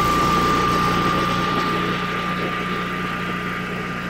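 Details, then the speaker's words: Natural-gas Generac generator in exercise mode with no load: a steady, even drone at constant speed with no hunting and sounding perfect; under load it nearly dies, which the owner suspects is from low fuel pressure. "if you exercise the engine it sounds perfect so I'm going to start it up so you can hear how it runs uh in exercise mode without a load"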